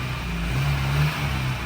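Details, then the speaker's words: Porsche 924 running for the first time in over 10 years, on its first test drive: steady even low drone with no knocks, misses or ticks; engine running smoothly. "see if it clears up a little bit after running it man that Porche run beautiful honestly it's"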